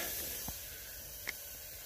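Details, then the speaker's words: Ford 7.3 Powerstroke with terrible fuel mileage, engine off during shop-air boost leak test; continuous hiss with short bursts, plenum gaskets leaking like crazy, one boot possibly not sealing; intake plenum gasket boost leak. "So I have air going into it, and you can physically hear a lot of leaks. I'm pretty sure my plenums are shot, or possibly boots down there."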